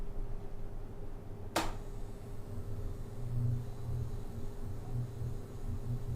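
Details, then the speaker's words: Hunter Original ceiling fan motor starting: a sharp click, then a thin steady whine over low rumble as it slowly comes up to speed, a normal start-up characteristic. "so let me get up close and you can kind of hear the whine it makes when it starts up kind of a cool sound"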